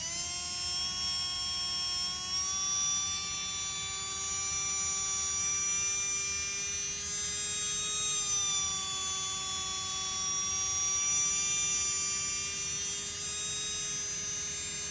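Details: Tamiya Dynatech 01R brushed RC motor at middle timing, presumably factory setting, run for highest rpm: steady high electric whine at nearly constant pitch, rising slightly, no rattle or grind; spinning smoothly.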